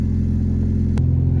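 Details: Mazda MX-5 Miata Mk2 idling after battery replacement, alternator charging 14.9 V: short stretch of even, low idle with steady firing and no knocks or misses; running fine.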